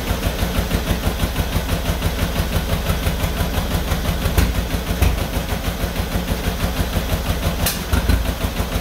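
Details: 1949 John Deere B two-cylinder tractor first start after engine rebuild: slow heavy uneven thumping, about three beats a second with occasional harder hits, running rough; used spark plugs, possibly needs more throttle or ran low on fuel.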